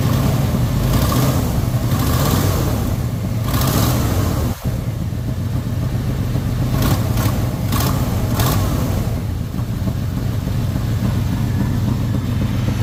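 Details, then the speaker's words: 1959 truck started after sitting two years on random battery, oil pressure present: old engine chugging unevenly with lumpy irregular beat; owner suspects cracked or leaking manifold or a misfire. "Sounds like my manifold is cracked or leaking, but that's a minor problem, I suppose. or she's got a misfire."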